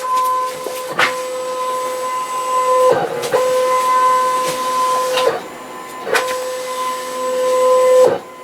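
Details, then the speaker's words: Cutting machine carriage cutting a large sheet: steady high whine broken by sharp clunks every couple of seconds as the feed pulls on the roll and slips, likely spoiling the cut. "when it makes that noise that means that it's pulling on that roll and it slipped so that'll probably screw up the cut"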